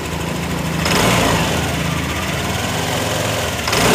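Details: New Yamaha NMAX after repair of a no-start (starter dead, MIL lit) and clearing the stored ECU fault code: scooter fires up and runs with a steady buzzing idle and a small rev, no misfire or stumble; normal running.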